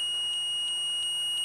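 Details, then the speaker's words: HP Omni 220 all-in-one PC with no-power fault, multimeter continuity test on power button red wire: steady high-pitched beep holding unbroken while button pressed, so the switch closes properly. "ele vai ter que adaptar ou seja ao passou tom ou seja significa que ele está funcionando o botão"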